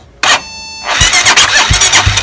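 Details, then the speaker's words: Motorcycle with a bad battery started using a small 900-peso jump starter: short crank catches almost at once and settles into an even quick putter; normal start. "So remember, this is a bad battery and a 900 peso Jumpstarter."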